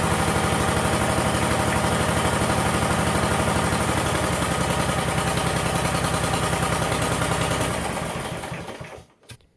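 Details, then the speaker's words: Roper 16T garden tractor engine under restoration: choppy, uneven idle thumping about four beats a second, then dies away; rough only with key on, runs fine after key off though it should stop; cause unknown. "it only does it with the key turned on. As soon as I shut the key off, it continues to run, but then it runs fine."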